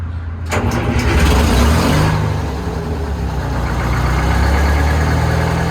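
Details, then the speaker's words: Old two-stroke Detroit diesel in boom equipment at a Fort Worth auction lot, started unfamiliar: short crank, catches at once, then a steady, even, deep rumble with a small rev; healthy start and idle. "But I love the way that old two-stroke Detroit sound. I think we need one of these on the channel."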